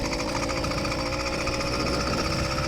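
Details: Stock YD100 two-stroke engine on bike with about 100 miles, no issues so far, just started on choke: fast, rattly buzz holding a steady, even beat without misses or surging; healthy idle.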